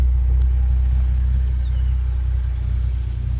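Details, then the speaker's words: Hyundai Genesis with Stage 2 Competition Clutch and lightweight single-mass flywheel instead of OEM dual-mass, heard from inside the car: low, steady exhaust rumble at cold idle with even pulse, no chatter or knock; normal cold idle. "So, you know, sounds normal. You can hear the exhaust and everything."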